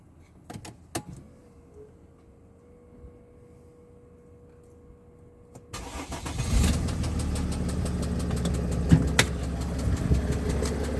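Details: 2007 Mercedes GL320 CDI 3.0 V6 turbo diesel (OM642), 138,000 miles, starts and idles with a rough tapping knock. The knock began after a new turbo was fitted; oil cooler seals, starter and alternator were also recently replaced.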